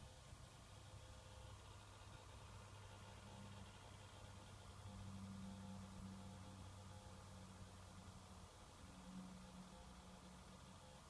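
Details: 2013 Scion tC cabin: quiet steady low drone with a faint whine from key-on until shutoff, seemingly from inside the radio or the vents, persisting on FM and with the CD removed.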